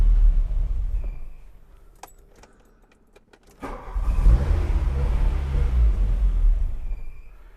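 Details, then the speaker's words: 1985 Volkswagen Cabriolet that sat 10 years, first start with new fuel and battery, fuel pump heard: engine catches, runs a few seconds, fades and dies, restarts and falters. "All right, I hear the fuel pump. Wow. Yeah, fire right up. It's not staying running, but we'll try it again."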